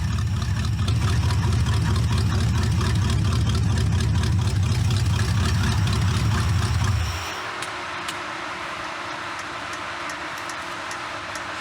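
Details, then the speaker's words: C4 Corvette kart engine after its carburetor idle mixture screws were set 1.5 turns out; steady, even low rumble at idle with a smooth regular beat, then a clean shutoff. Starts easily without pumping the gas. "runs starts easy never pump the gas to start it up"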